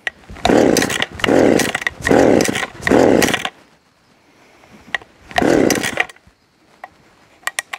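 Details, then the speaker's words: Stihl 015L top-handle chainsaw with points ignition, cold start after about three weeks sitting, choke only, no primer: four pull-cord cranks, pause, one more, never catches; hard starting, owner blames poor air filter design and fuel pickup. "so this one does not like to start that easily if it sets for a long time"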